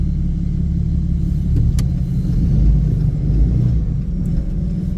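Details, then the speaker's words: 2021 Ram 3500 5th-gen Cummins diesel after a DEF delete, on a stage 2 (45 hp) tune during pulls: deep rumble building under load with clearly audible turbo spool; running strong. "Well, you definitely hear that fucking turbo spooling now."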